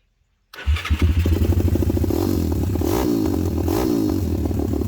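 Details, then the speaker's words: WPB Beast 190 Welsh pit bike, Zongshen 190cc 5-speed, after fitting a new Nibbi 28mm carb with air and fuel screws roughly set, run outside; brief crank, then a quick, punchy single-cylinder beat with sharp throttle blips, sounding ferocious and snappy; not yet ridden; normal running. "It sounds ferocious and snappy, but I can't make any judgments right now on what adjustments need doing until it's been ridden really."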